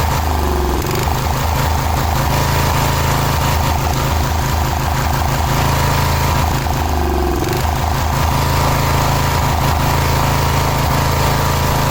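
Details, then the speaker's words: Cub Cadet 1106 riding lawn tractor (1987; listed as 1986), sat over 4 years: slow, lumpy idle chugging about four beats a second, nearly stalling. Very low idle; carburetor needs more tuning, otherwise running pretty good. "Idle's really low. Obviously the carburetor needs a little bit more tuning, but it's running pretty good."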